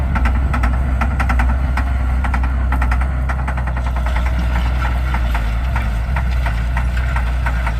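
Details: Challenger MT675D tractor pulling a DMI 10-shank inline ripper: sharp, regular ticking knocks in time with the engine over a steady deep diesel drone; bad injectors.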